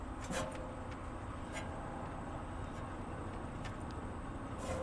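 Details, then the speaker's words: Thermo King reefer during a belt change, fan spun by hand with the shroud bolts still loose: sharp, scattered ticks as a blade hits the shroud. Fixed by shifting the shroud slightly away from the fan before tightening. "the fan is hitting right there so all you have to do this is your shroud all you have to do is just move it around like this just slightly move it around and it's gonna get away from the fan"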